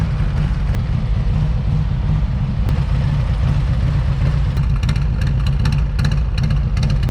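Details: 2019 Harley-Davidson Street Glide with Thunder Max wideband tuner replacing the ECM: deep, even low V-twin rumble idling loudly through the exhaust, no knocks or ticks; normal healthy idle.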